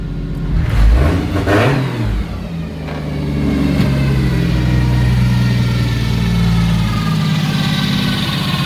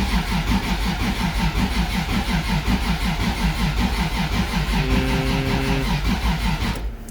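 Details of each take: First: 1JZ head on 2JZ block (1.5JZ) build, after reconnecting the cylinder 6 coil pack; revs pick up sharply on throttle blips, then hold a smooth even high idle with no misfire or knock. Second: 1.5JZ engine build cranks steadily at about three compression beats a second and never fires; the trigger system reports errors and seems not to read the crank sensor, possibly a plug connection issue that fixed it before.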